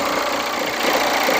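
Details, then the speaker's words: Hyundai Santa Fe engine idling, hood open: loud rough whirring rush from the belt drive; worn idler and tensioner bearings, replaced along with drive belt. "Ang problema lang po nito ah maingay ung kanyang makina"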